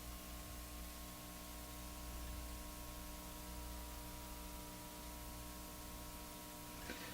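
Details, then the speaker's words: Leak Trough-Line 2 FM tuner fed via step-up transformer toward 220-240 V through dim-bulb tester: steady low mains hum, layered even tone over hiss; transformer humming. "Now, I'm sure you can hear the transformer humming now."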